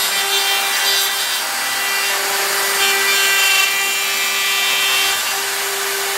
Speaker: that ml is really no it's sticking pretty far out you can hear the chat or even though it's supported with the bearing there it's still a lot endmill sticking out